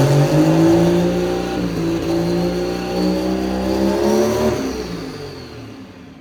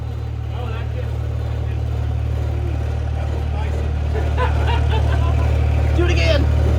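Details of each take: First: Pro Street truck just fitted with a Rossler TH400: revs climb and hold, then fall away and die after the shift; engine stalling when shifting, cause unknown, something loose suspected. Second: Pro Street truck with new Rossler TH400, after fixing a loose wire that shut it off when shifting: deep, steady rumble climbs smoothly under throttle with no stumble or cut-out, throwing flames; normal revving.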